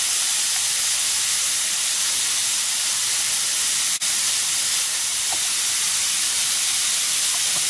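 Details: Nissan Maxima injector bench test, regulator holding 34 psi: constant unbroken high hiss of fuel leaking from one injector, no pulsing. Leaking, bad fuel injector.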